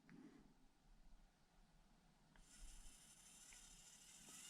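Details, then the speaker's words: Orlandoo OH32A03 Land Rover Defender 1/32 crawler with a Modellbau-Regler.de AS12/6RW ESC at minimum crawl speed. Only faint gear rustle and soft ticking, no electronic whine, unlike the noisy stock Orlandoo ESC. Quiet, normal running. "no noise at all no noise at all no noise of the esc and of course you can also go faster if you want"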